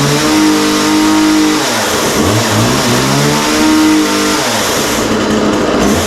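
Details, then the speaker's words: McCulloch MacCat 18 chainsaw on its first start, with no bar oil in the tank yet: strong, clean two-stroke revs rising and falling smoothly with throttle, no misfire or stumbling. It runs well. "Wow. Well, that sounds really good. That started right up and sounds really good."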